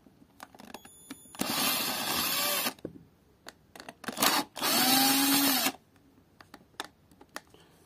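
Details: Grinder about 8 years old that throws sparks and now sounds loud and muffled: two short runs of a high, gritty whine with a rough, uneven edge. The worn, loosely seated carbon brushes are arcing inside the motor.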